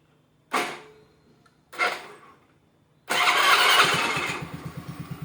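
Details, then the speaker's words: Honda Grazia scooter after self-start repair, new self relay fitted and wire run to negative, self and brake switches bypassed directly: two short starter bursts, then catches into quick, even idle; starting properly. "ఓకేనా self అవుతుంది guys ఇదిగోండి key on చేశాం"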